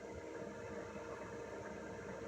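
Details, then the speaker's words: Basic-setup diesel heater in a van being turned down to minimum: quiet even fan hiss and soft hum, pump clicking less often as it winds down; normal run-down. "the noise is the same but it pumps less it clicks less when you turn the heater down the pump clicks less the Fan's also going do"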